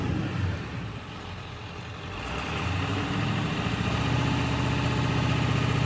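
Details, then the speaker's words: 7.3 diesel truck revving up, harness already replaced: uneven, stumbling beat that hesitates as revs climb, with skips and intermittent knock. Misfire at higher rpm; cause unknown, owner unsure which part to change. "what I notice is the winner at higher rpm it will give me a skip and it will not give me a knock and then spit right back up and then give me a knock and then back off"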